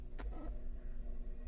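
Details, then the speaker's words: Antique GE fan, spec 272810, at about 120 V on low speed: starts right up, quiet even hum with light blade whir, no scraping or knocking; some noise expected from the pressed aluminum blade; healthy. "starts right up now it is a noisy pan but you know that's because it's a pressed motor and it's got an aluminum blade and aluminum makes noise"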